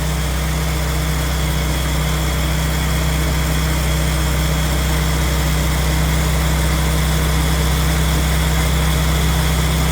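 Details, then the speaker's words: Morris Minor van with Judson supercharger, cold engine set on high idle while warming: steady fast even hum with no misses, slight supercharger rattle noted; owner suspects a vacuum leak at the supercharger-to-head joint. "I've got it on high idle way now because it's cold and uh just letting it get warmed up a little"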